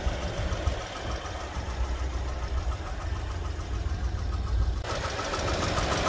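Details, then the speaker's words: 2018 Mercedes-Benz A200 W176 with 160,000 miles (257,000 km), warm idle about 850 rpm after shifting back to park: dull, uneven low knocks about once a second, source unclear, variable; coolant leaking, jerky in reverse. "I don't know if you can hear the knocking sound doesn't sound very good"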